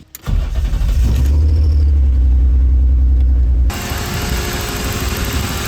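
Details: BMW E36 328ti Compact with a swapped M52 that has a blown head gasket, after rebuilt fuel injectors were installed and the pump primed: quick crank, clean catch and firm rev, then a smooth, even idle with no fuel leaks; normal start and idle.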